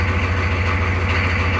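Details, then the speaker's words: 1994 Chevy K2500 6.5 turbo diesel after Power Master starter replacement, fully charged batteries, after glow plugs: cranks very fast, hardly any smoke, then deep even diesel clatter at steady idle with no stumble or knock. "and now we're going to start the truck and you can hear the comparison of the difference in the new starter hardly any smoke or anything turned over very fast"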